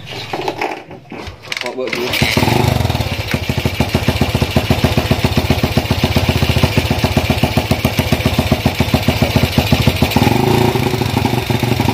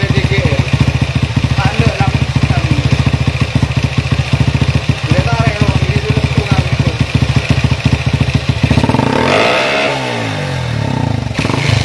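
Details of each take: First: Honda CB single-cylinder motorcycle with PWK 30mm carburetor: fine at low rpm, but on throttle runs rough, stumbling and popping; jet setting suspected wrong, rich jetting. Misfire and popping under throttle. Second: Honda CB single-cylinder motorcycle with a PWK 30mm carburetor, after setup to cure stumbling at full throttle: even idle thump, then a clean throttle blip that rises and settles with no stumble; idle and throttle now good.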